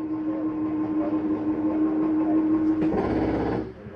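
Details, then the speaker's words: 2022 Catalina Legacy 323QBTS travel trailer slide-out opening: steady motor hum for about three seconds, then a short rough chatter as the slide reaches full travel; normal noise meaning the slide is all the way open. "once you hear that noise it's just a slide mechanism telling you that it's all the way open"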